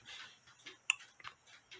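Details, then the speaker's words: Nisshindo 100-day torsion/anniversary clock, plate 1469E, after replacing the suspension spring, heard through a beat amplifier: crisp ticks about every half second, clean between beats; clock running normally. "but anyway as you can see the clock is ticking away and you can hear it ticking away with a B amplifier you probably hear it better than I do but"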